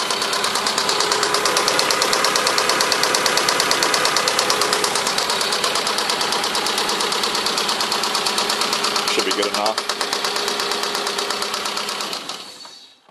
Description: One of my friends bought a "good working condition" block to replace the bad block in his Eagle Talon, and this is what it sounded like on the first startup.